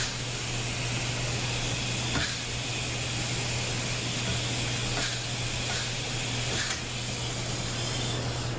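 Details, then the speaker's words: ZF 5HP24 transmission during overhaul, K2 and K1 clutches air-checked on the rebuild. A steady air hiss holds under pressure with soft clicks as the clutches apply, so the seals are holding air fine. "Okay, I'm getting a nice, the pressure is holding nice. When I release it, okay, you can hear it."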